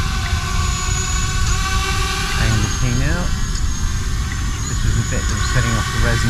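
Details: ArduCopter 6-inch race quad hovering through pitch autotune after the second harmonic notch was set: steady high motor hum with brief pitch wobbles and no buzzing shake; the earlier resonance is gone and the frame sounds settled.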